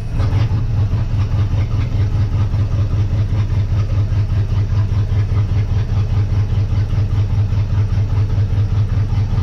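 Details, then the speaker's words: 1958 Dodge Coronet Lancer, a barn find that sat 30 years, idle under a timing light: low, deep idle with a regular stumble two or three times a second; cylinder two is dead, and swapping plug wires gave the same result. "six four nothing on two said before I've switched the plug wires around and I get the same result"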